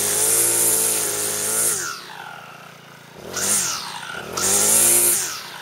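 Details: Troy-Bilt four-stroke weed eater after clutch repair and reassembly, cold on half choke after priming; winds up to a high buzzing scream and drops back cleanly three times, no misses or rattles; runs healthy.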